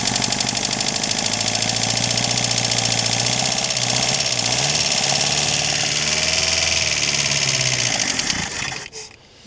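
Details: Chrysler Galant 1600 wagon started after sitting 30 years, cold: rough idle with steady fast knock about four beats per second, like an old diesel, fading as engine stops; blow-by noted, suspected pre-ignition rather than conrod knock.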